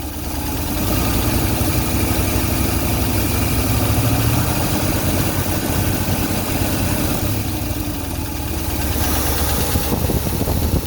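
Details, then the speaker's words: 1965 Ford Thunderbird V8 at idle during inspection; steady, vibration-free idle with a faint light tick at idle only, seemingly toward the front of the engine, source unclear: engine ticking at idle. "On entend un tout petit claquement. Au ralenti seulement."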